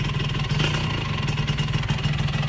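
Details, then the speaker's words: Suzuki Satria Hiu motorcycle before an engine rebuild. A harsh, rapid "krek krek" rattling clatter rides over the exhaust beat. The owner suspects the crankshaft bearing and later replaced the bearings, seals, piston and block. "Jadi bunyi krek krek krek krek krek gini nih."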